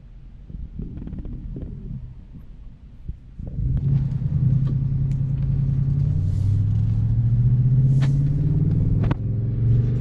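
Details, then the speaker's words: Audi S5 V8 with an aftermarket exhaust, driven on the road after its cylinder 8 spark plug was cleaned with carburetor cleaner to cure misfire codes 00768/00776/00773/00769. A deep, even growl under light load, no stumbles, codes cleared, normal running. "I love the exhaust system that he put it on this car. It's got such a growl. Sounds like no Audi I've ever heard."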